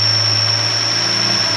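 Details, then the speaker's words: Mercedes W124 (MaxxEcu) at idle: a thin, steady high-pitched whistle over a low hum. Brake cleaner sprayed at the cylinder's injector seal made the engine stumble, confirming it is sucking air there. More whistling is heard elsewhere too: a vacuum leak. "Põhimõtteliselt nii, kui ta selle silindri piusti tihendi vahele brake cleanerid lasi, see mootor hakkas lonkama, sest sealt kaudu ta imes selle brake cleaneri silindrisse."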